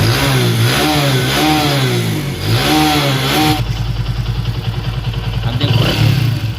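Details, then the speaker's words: Vikrant V15 motorcycle after one-way clutch (starter clutch) repair: engine blips up and settles with a clean, even beat, no knock or rattle; bad noise gone, sounds healthy. "कोई भी आवाज़ नहीं है ये दोस्तों"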